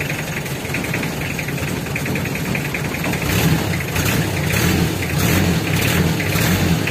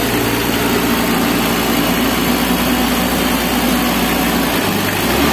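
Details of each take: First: Mitsubishi L300 diesel emitting white, eye-stinging smoke in the morning: uneven idle with irregular knocking pulses about twice a second. Leaking injectors suspected. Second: Mitsubishi L300 diesel, being fixed for stinging white smoke, after the repair: steady diesel clatter at idle with an even rhythm under background hiss; running smoothly and the white smoke is gone.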